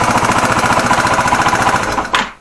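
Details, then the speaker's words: Yamaha TW200 single after rebuild work, running: rapid even dull knocking from worn crankshaft main bearings, with added rattle when the clutch is pulled from a worn clutch basket; full rebuild needed eventually. "этот заглушкой штук это глухой стук обусловлен тем что просто жены и коренные подшипники коленвала плюс при выжиме сцепления это уже износ корзина сцепления"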